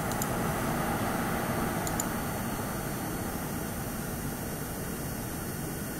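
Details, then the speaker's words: Asus ROG Strix RTX 4070 Ti graphics card recorded from a cold boot and while gaming in Diablo 4: steady, soft fan hiss like any other GPU, spinning up under load but not loud, with essentially no coil whine. "To me, this card sounds just like any other GPU. It spins up when you're playing a game, but it's not crazy loud."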